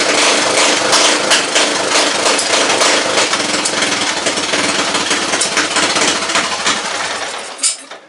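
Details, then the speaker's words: Craftsman LT1000 mower with rebuilt Briggs & Stratton 17.5 OHV engine and custom exhaust, throttle not yet hooked up: even single-cylinder patter, no misses or knocks, then winds down at shutoff; running well but still needs adjustments. "Alright, so she's a runner, just needs some adjustments. But so far, running pretty daggum good, except for, you know what, that might be an issue there."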